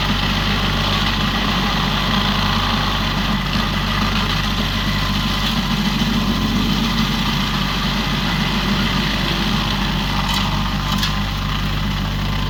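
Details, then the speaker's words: Used 2018 Woodland Mills WG24 3-point stump grinder on a tractor PTO (run below the rated 540), grinding a roughly 30 by 24 inch hardwood beech stump: steady strong engine drone under constant rough chewing, holding even under load; cutting well, a couple of teeth possibly dull. "so what do you think Austin you're back here watching it I I think it works awesome pretty mean machine isn't it"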